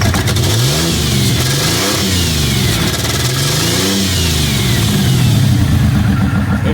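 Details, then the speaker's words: Ford Windstar with a badly damaged exhaust and possible signs of past head gasket failure: uneven, stumbling idle that wavers as it's revved, with lumpy low thumping; a persistent rough-running misfire, cause not found. "it's still a horrid misfire but we uh [Music] are trying to figure out why"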